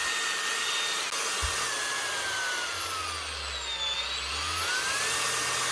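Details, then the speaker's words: Makita DGA467 angle grinder after a new switch, given a quick clean so it gets air: steady high motor whine without cutting out, only slight pitch drift; repaired, running normally. "all right seems to fixed it seems to be running anyway just give him quick clean so it's actually getting air as well much better"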